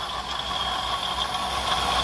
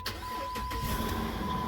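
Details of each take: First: Jeep Grand Cherokee that came in for no crank, no start, now running. Steady run with a constant high whirring and light irregular ticking from the front. The water pump is visibly wobbling: worn water pump bearing. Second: Jeep Grand Cherokee with no-crank no-start from wireless control module fault, after programming new keys: short crank catches quickly into steady idle with chime; clean first-try start.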